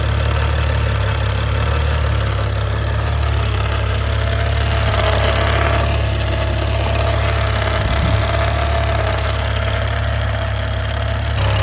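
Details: F10 BMW 535i xDrive first start after full timing chain replacement, oil pressure primed to 45 psi: steady, even, smooth idle with no knocks; a slight whirring or whine suspected from new tight chains.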